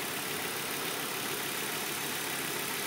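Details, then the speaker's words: 1997 Volvo 850 GLT turbo at startup and idle; quiet, even, smooth steady hum with no knocking or ticking: normal idle. "all right run super quiet no knocking no ticking"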